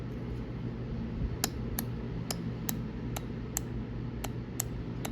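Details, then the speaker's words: Triumph TR6 J-type overdrive solenoid, removed and bench-tested on a 12-volt battery (polarity irrelevant): crisp, separate clicks, about eight in four seconds, over a low hum as the plunger pulls in and returns cleanly; normal operation. "but it's the that solenoid inside is is going in and out and the key is to make sure it's it's returning"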